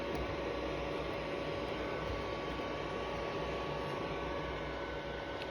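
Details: Sony PlayStation 3 fat console running Dead Space 2, its fan roaring like a vacuum cleaner or fighter jet; steady loud airy rush with a faint constant tone and no rhythm. Owner unsure whether this is normal.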